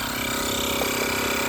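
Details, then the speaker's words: Gooloo A5 jump starter's tire inflator pumping a truck tire from 30 toward 36 psi: steady fast buzzing pump with even drone, ramping up, no knocks or catches; compressor running strong and normal. "You hear that thing? It's got some power to it, I'm telling you."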